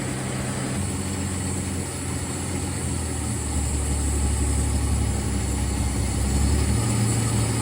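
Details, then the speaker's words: 1965 Dodge Dart slant six with carburetor, base timing reduced from too much advance to about 1 degree: low, steady idle with an even beat, no misses or stumbles; smooth idle after timing adjustment. "okay it's at one smooth things out a lot"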